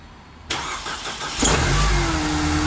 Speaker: perfect that lovely supercharger wine ideal